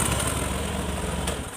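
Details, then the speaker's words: Honda Beat Street (2017–2019) scooter, test start after throttle body cleaning while the twist grip still sticks from rust: smooth, even single-cylinder putter settling without hesitation or surging; normal idle. "Oke, ini untuk sementara kita tes dulu hidup. Oke. Oke, normal. Oke, normal, Guys, ya. Oke, mantap."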